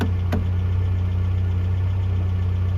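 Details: 1982 Toyota SR5 4x4 pickup after fixing crank-then-cut-off problem (owner thinks emissions control computer box was the cause, everything else replaced): steady low hum with even beat, no misses, dips or surging; smooth, stable idle.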